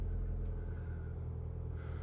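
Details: 2019 Mazda CX-5 that would not start (keyless system malfunction, weak battery) after a jump start: smooth, low, even idle rumble with no misses or knocks; engine idling normally.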